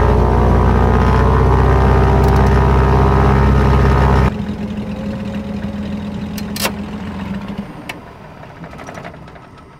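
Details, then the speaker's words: The engine on the Silver Bullet 310 aircraft, just fitted with new fuel pumps, with oil pressure up and idle being set toward 1,000 RPM. A steady, even drone, then shutdown. Healthy normal idle, though the mixture needs a touch richer and the idle a tick higher. "that engine ready to go I like it sounds good looks good does its thing that engine"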